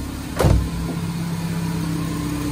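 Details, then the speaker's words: 2010 Nissan Grand Livina, flooded to half-wheel height, after repair of rough noise a mechanic attributed to the alternator: idle with AC on, fan speed 2, one brief knock then smooth even hum, no roughness; normal idle with AC. "Posisi AC hidup juga suaranya normal. Ini posisi AC. Kita bunyikan ke nomor 2. Suhunya aja. Tidak ada suara lagi."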